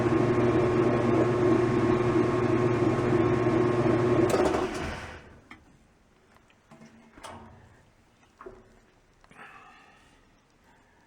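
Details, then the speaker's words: 1989 Whirlpool LA5400XTWO top-load washer after cleaning out built-up crud: a soft, normal fill click, then a steady, slightly quieter motor hum that winds down to a smooth stop with no screech or grinding. A normal wash cycle. "it's making no more noise than it ever did in fact I thought it seemed a little quieter overall the the washing machine and it came to a smooth stop"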